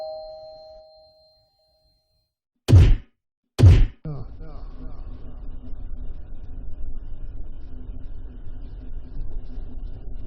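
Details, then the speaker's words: Refrigerator making the noise the tenant complained of: two heavy clunks, then a low, uneven droning rumble; the landlord thinks it is the compressor and refrigerant cooling through the line, but the fault is unconfirmed. Refrigerator noise. "That was the noise I was talking about. Well, that's your compressor. Okay. That's probably cooling going through the line."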